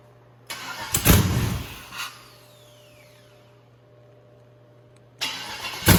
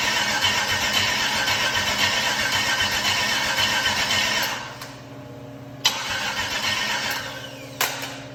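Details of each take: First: 150k-mile 6.0 LS V8, first start after finding a missing wire up top: catches and roars briefly, dies back, then fires again strongly with no odd noises; normal start. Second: GM 6.0 LS V8 with 150k miles, first start attempt after purchase on a makeshift fuel setup: starter churns steadily about four seconds without firing; no RPM reading while cranking.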